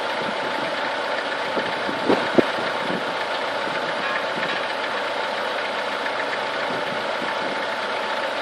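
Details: Chevrolet Niva engine warming up through 30, 50 and 70 degrees: a light, fairly quick tapping of about three or four knocks a second over a warm idle; the source of the knock is unclear.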